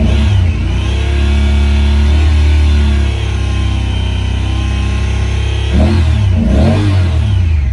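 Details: 2017 Honda Pioneer 1000-5 with 1,200 miles, code 9-2: a raised, uneven idle with a lumpy low beat and a brief flare near the end; caused by factory over-crimped wires broken inside the insulation at the idle air control valve plug.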